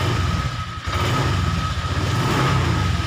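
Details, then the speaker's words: Honda Vario 125 LED scooter after fixing relay wiring (black/white and red/white wires) that stopped it electric-starting: key on, catches and settles into a steady low putter with a faint whine; starts and idles normally. "Tadi nggak mau di starter, sekarang kita coba. Nah, oke. Motornya tak bisa hidup."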